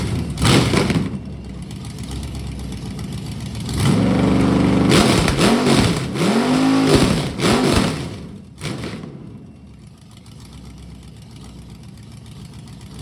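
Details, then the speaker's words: Freshly rebuilt budget Ford 302 small-block V8 on its first runs, with a temporary carb and fuel hookup, no coolant, about 12° timing and 16 inHg vacuum, recorded from outside. It catches quickly, blips crisply and settles to a steady, even idle that sounds healthy. "That should give you a good idea what it sounds like. Sounds good. Seems to run good."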